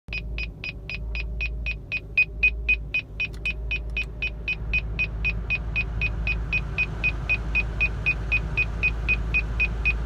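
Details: 2005 Cadillac CTS-V at smooth idle with AC on, high beep about four times a second, low-voltage warning; whining from engine bay; owner suspects alternator or battery.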